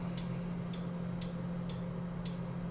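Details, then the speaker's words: MASSO CNC control cabinet, e-stop pressed with tower lights flashing red and yellow: crisp relay clicks about twice a second over a steady low electrical hum, outputs switching normally with nothing connected. "Now, if I if I hit the estop switch, uh this will activate some of the tower lights. And so you can see the tower light red and yellow are flashing. And I can hear the relays"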